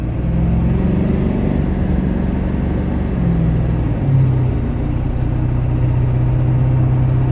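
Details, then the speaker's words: Ford 7.3 Powerstroke diesel after shimming the injectors to fix hard cold starts: low, uneven clatter at idle with the truck visibly shaking and the check engine light on; rough misfire, owner unsure all injectors were plugged back in. "has been there's literally shaking right now and yeah it's actually shaking"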